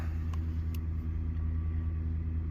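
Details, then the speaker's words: 2010 Ford F-150, 5.4 V8, about 175,000 miles, ran rough with a flashing check engine light after stopping off the interstate. Heavy, slightly uneven cold idle as cylinder 3 misses now and then. Pending P0303 cylinder 3 misfire, severity 2 of 3. An alternator bearing is also audible. "P303 pending. Cylinder 3 misfire detected, severity 2 of 3."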